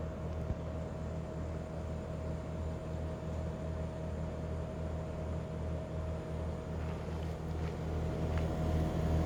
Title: Daikin Altherma buzzing noise long video